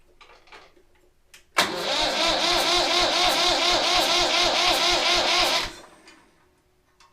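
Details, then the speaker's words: Massey Ferguson 35X tractor, first start attempt in neutral after new injectors, filters and a cleaned, bled fuel system; starter turns it over at about four compressions a second but it never catches, no smoke. Crank, no start; air suspected still in the fuel system. "no smoke yet still a bit of air in the"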